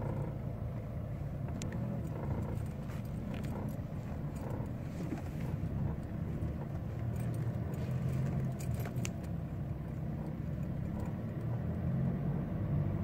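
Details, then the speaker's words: 2006 Mercedes C200 CDI in fourth gear, lugging just above 1000 rpm uphill: deep droning buzz from front left; owner first suspected a stabilizer link, found loose anti-roll bar bushing bracket bolts with stripped thread; noise gone after repair. "Donc je suis en sous-régime et on va entendre vibrer. Là on l'entend flagrant."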